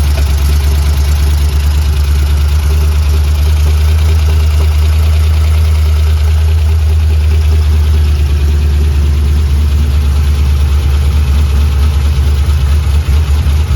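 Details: 3V Mustang GT 4.6 V8, newly installed engine with new clutch, flywheel, headers and the original Steeda underdrive pulleys, first start: deep, steady low rumble at constant idle, no misses or knocks; normal idle, runs really good.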